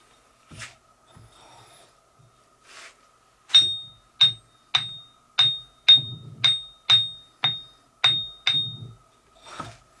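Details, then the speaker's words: Ring test of the 6 in by 3/4 in wheels during a Craftsman 1/3 HP bench grinder rebuild: about ten taps, each with a clear, high, lingering bell tone; both wheels ring true, so they are not cracked and need no replacement. "so both of those Wheels ringed just fine uh if they had cracks in them they would have a dead sound to them which they didn't they ring so we don't have to replace them"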